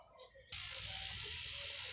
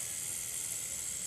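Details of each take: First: Cheap rotary tattoo machine bought online, fitted with an 11 magnum cartridge needle: steady high buzz, harsher and louder than with standard needles, with some hard starting; loud running with cartridge needles. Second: Cheap online-bought rotary tattoo machine running with a 9 round shader (9RS) standard needle fitted: steady, even high-pitched whir with fine buzzy hiss, no catches or stutters; works well, now has some sound. Normal running.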